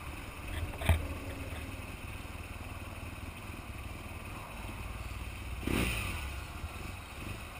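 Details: BMW R1200GS Adventure boxer still not turning over properly an hour later: low, lumpy rough idle with an uneven beat and clattery catches; cause not evident.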